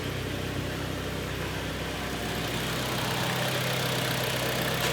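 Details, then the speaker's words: 2013 Kia Sportage G4KD 2.0, AWD automatic, 116,000 km, after a full engine rebuild with cylinder sleeving for scored cylinders and piston knock. Hot idle heard from outside is smooth, quiet and even, with no knock, tick or rattle. "ровненько работает Тихо"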